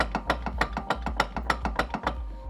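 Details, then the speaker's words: Loose hitch ball mount rattling in receiver with wooden shims fitted on the side only: sharp metallic clacks about four a second as it still shifts side to side. "you can see still side to side movement you can still hear the rattling"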